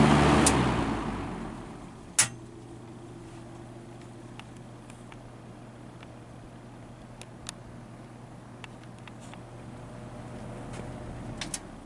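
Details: Vintage Brentwood box fan rescued from the trash, first real run after a slow startup: steady low hum at full speed with scattered light ticks and faint scraping.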